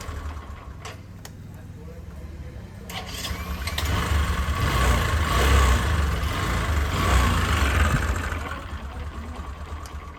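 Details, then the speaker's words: Bajaj Discover after the faulty self-starter was replaced (before: only a tak-tak sound, no start): starter turns the engine over and it builds to a steady running rumble. Normal electric start. "और अब देखिए, यह शुरू हो गया, है ना?"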